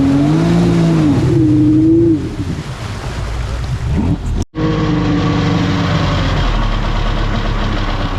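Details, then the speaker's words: 1999 Kawasaki 900 STX jet ski after a top-end piston replacement; the owner blamed an earlier lack of acceleration on water flooding in and plugged it. The engine holds a steady buzzing drone, dips briefly, then runs evenly with no misfire: normal running. "so I plug this up and uh engine sounds good"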